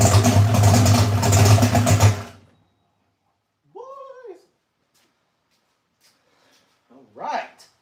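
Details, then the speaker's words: V8 idling at about 800–850 rpm after the header leaks were fixed, with timing at about 35–36 as specified. A loud, lumpy idle with steady firing pulses for about two seconds, then quiet, with no exhaust ticking: normal idle. "right I think sounds good man yeah that thing that Wasing about 800 850 uh header leaks are gone"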